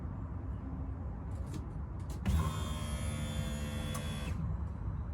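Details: Golf Mk4 GTI after fuel filter replacement with genuine VW part during service: key on, steady electric hum about two seconds then cuts off, engine not running; fuel pump priming normally, no leaks, holding pressure.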